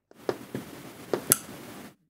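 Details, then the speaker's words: A 3.3 V relay module driven by an ESP8266 output, with its LED blinking, gives four crisp, clean clicks in a quiet room. The relay pulls in and releases properly, switching much better at 3.3 V than 5 V relay modules. "wir sehen die LED blinkt und wir hören auch das Relais schalten also 3,3 Volt schalten funktioniert hier mit schon mal deutlich besser als die 5 Volt Relais"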